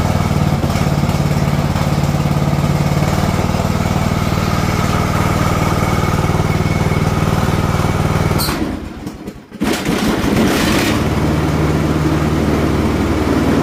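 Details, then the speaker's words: Husqvarna TS242 tractor after fixing a connector with loose pins that caused no-start: steady, even engine drone that briefly drops when a load is engaged and then recovers. It struggles when cold and works better warm; normal running. "yes it seems to work when it's cold this almost shuts down the engine because it takes so much power but when it's water it works better"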